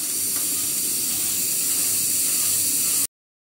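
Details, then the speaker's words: Old Saunier Duval boiler with fault 05 at full hot-water power: steady even hiss, no kettling or banging from the heat exchanger; faint rubbing noise behind from the pump. Quiet heat exchanger. "Même à pleine puissance, le corps de chauffe ne fait pas de bruit."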